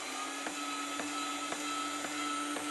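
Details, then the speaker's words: Zelmer 1900 W electric meat grinder that stopped turning: motor gives a steady mid-pitched hum with a light tick about twice a second but the auger does not rotate; stripped reducer gear teeth. "tritacarne ronza, ma non c'è rotazione della coclea."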